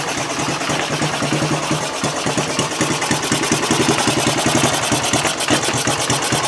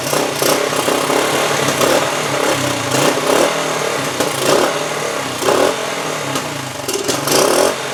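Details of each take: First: 1974 Honda TL125 trials bike after fresh gas, carb cleaning, cleaned points and set ignition timing: quick, even single-cylinder putter at idle with crisp regular firing, no skips or pops; runs much better. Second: 1974 Honda TL125 after carburetor cleaning, before points, timing and ignition work: uneven idle rising and sagging with sharp irregular pops from exhaust and carburetor; unsteady idle with popping, cause not confirmed.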